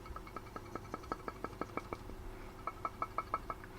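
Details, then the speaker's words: Small cooling fan, already stripped and lubricated but not fixed, so it is being replaced: ticks and knocks about six times a second, enough to rattle and resonate a casing. "It's rattling away. It's not particularly loud, but it's loud when you got it inside a casing and the whole casing starts rattling and resonating with it."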